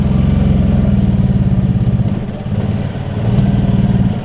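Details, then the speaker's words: Yamaha golf cart running with a little choke, not yet fully sorted: revs surge and sag in a bucking, hunting run; owner thinks it seems a little rich and may add Sea Foam. "so we got we got it where it'll run without needing it's like it's i don't know what it's doing it's just bucking running a little almost looks like it's running a little rich so"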